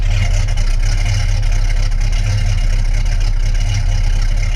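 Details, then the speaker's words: Newly built custom Falcon with a 1990s V8 and a single Walker Quiet Flow 3-stage muffler into a Y-pipe; steady idle with a soft, lumpy gurgle heard at the back of the car, quiet inside; normal exhaust note. "It's nice and quiet inside the car, but you let it get a little bit of a gurgle out the back. When you're out at the back of the car, you get the gurgling sound."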